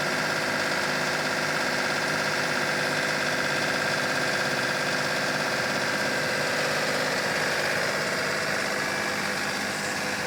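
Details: Cub Cadet with a Yanmar diesel engine: diesel clatter over busy whirring and rattling higher tones, rough and uneven at steady speed, from a messed-up transmission of unknown cause.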